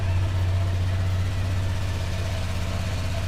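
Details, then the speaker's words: Used automatic scooter checked before buying, engine idling: steady, even low putter with no knocks, ticks or rattles; engine and CVT sound smooth, healthy. "Dan kalau ini kan mesinnya halus nih, gak ada bunyi apa-apa, sipitnya juga masih halus."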